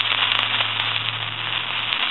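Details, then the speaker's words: Elephant brass telephone, old-style T1 carbon transmitter, handset checked after other repairs: constant harsh crackling hiss over a faint line hum after dialing; static from the aging transmitter, which is to be replaced. "if you can hear that static sensation, that's coming from the transmitter, and that's going to cause a bunch of static sensation."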